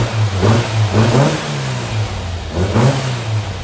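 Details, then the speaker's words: New Powerhaus VW 2110cc air-cooled flat-four on its first start, before valve adjustment and carburetor sync: revs up and settles back twice, smooth and even, no knocks or misses; sounds healthy. "first 20 minutes is done everything sounds good"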